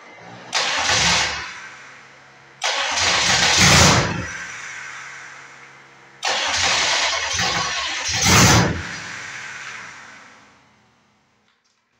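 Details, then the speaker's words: Detroit Diesel engine on a lawn mower project, start attempt after bleeding injectors with fuel at all of them; several separate starter bursts with rapid chug and no firing; owner wonders if throttle is off its stop enough. "I wonder if we have to move that throttle off of its stop right now maybe it's not open far enough"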